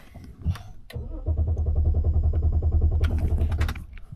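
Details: BMW X5 showing current fuel pressure control and fuel pump faults: after revving it died, now steady starter cranking for several seconds without catching; crank, no-start. Injector cylinder 6 activation current seen; mechanic suspects that injector, unconfirmed.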